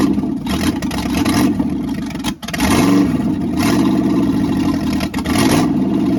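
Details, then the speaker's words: Freshly rebuilt small-block V8 at first start (new cam, cam bearings, main and rod bearings, rings, honed standard bore, reused crank and pistons): revs blip up and drop with even firing, no knocking or rattling; healthy. "Sounds very good. I don't hear any knocking or rattling or nothing."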